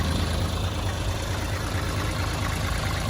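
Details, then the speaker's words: 1989 Toyota HJ60 Land Cruiser diesel after fixing a crank-no-start, suspected to be air in the fuel line after twice running nearly dry, with Seafoam added: steady, even idle clatter with no misses or knocks; runs strong. "back running and running strong all right all right"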